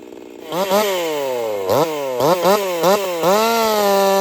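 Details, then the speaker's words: Jonsered 2149 50cc racing chainsaw build on its first cuts, revving then bogging and popping in the cut, almost like four-stroking, with uneven surges and never cleaning up; owner fairly certain it has ignition coil issues. "It's got some coil issues. It won't clean up. She's got a pop to it, just almost like your four-stroking or whatever, but different."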